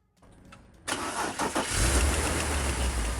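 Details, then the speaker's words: 2005 BMW X3 (M54 engine), air cleaner and shroud removed for access: after the starter whirs and the engine catches, an uneven tapping knock about three per second rides over the idle as the worn serpentine belt tensioner wobbles and grinds. "As you can see, the tensioner is wobbling around and it's also making a lot of [Music] noise."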